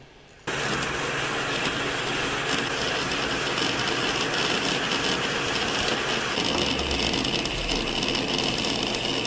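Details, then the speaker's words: Compaq EN Pentium III 733 hard drive during boot: busy, irregular chattering and rustling over a steady hiss; normal healthy seek activity. "that's the hard drive doing the work it's such a piece of technology amazing"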